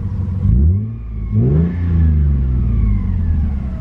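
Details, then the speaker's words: Manual Lexus IS300, free-revved from inside with and without clutch pressed (faint zoom from clutch): clean quick blips up and down, smooth even note, no knocks or rattles; engine healthy. "so the engine is healthy for right now"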